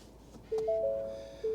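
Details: 2022 Ford Maverick Hybrid with 43,600 miles, ignition on: clean two-note chimes repeat about once a second in a quiet cab, the dash warning for a cross traffic system fault.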